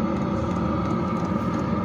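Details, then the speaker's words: Diesel air heater installed for house heating, on a test run; steady rumble with constant fan whir, no surging or popping; normal running. "um seems to be running okay uh temperature's going up in the kitchen"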